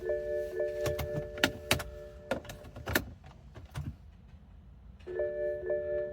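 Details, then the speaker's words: BMW N52 (E90/E92) after valvetronic motor gasket replacement, engine off with ignition on: quick runs of sharp clicks over steady dash chimes, a pause, then more; valvetronic motor adapting normally before starting. "Turn it off, take the keys out, turn the key like this, so you can hear click click click, some noise will come, and that's how your car is adjusting the timing."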